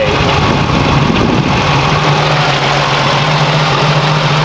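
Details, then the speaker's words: 1989 Chevrolet Celebrity CL wagon, 3.1 L V6, idling steadily with a light quick ticking on top: the typical hydraulic lifter tick. "it's not too bad it's got the old lifter tick that I'm sure you could hear"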